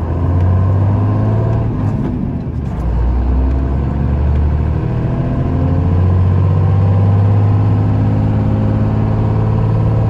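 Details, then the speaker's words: 1995 Dodge Ram 3500 dually 4x4, 12-valve 5.9 Cummins diesel, five-speed manual, 45k miles, fully serviced, climbing a hill: strong steady low diesel pull, no chirp or grinding from the gearbox; normal engine and gearbox under load. "head up the hill so you can hear this cummins run as well as the five speed you can hear how it doesn't chirp doesn't"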